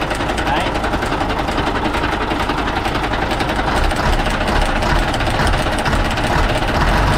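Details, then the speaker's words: Diesel engine at rough idle with a bent valve pushrod: a sharp, hard ticking knock about twice a second. No lubricating oil reaches the front side, and the bent pushrod stops the valve opening fully, so compression isn't released on time. "Các anh em mình thấy cái tiếng kêu rất khó chịu đúng không ? rất là đanh. đó là cái việc mà cái khí nén bên trong nó không được giải tỏa đúng thời điểm, Tại vì nó đang bị cong cái đũa đẩy này"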